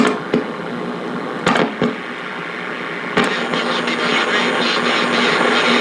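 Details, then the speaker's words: 1940 Philco 40-155 AM/SW tube radio: constant hiss and crackle with sharp pops and a thin high whine, which disappears when a nearby garage door opener is unplugged. RF interference from the opener; the oscillator is also suspected. "but uh you can hear just how much noise that garage door opener causes up there where am i oh there we go if i just if i unplug it it'll go away"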